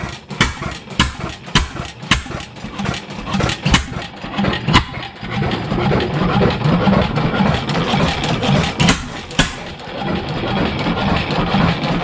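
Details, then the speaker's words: 7HP Stickney stationary engine started after decades of sitting: slow uneven firing thumps about two a second with a light knock on each stroke from the connecting rod; owner suspects a shim may need removing. "you can hear it just making a little bit of knocking in the rod so I wouldn't be surprised if we got to pull a shim"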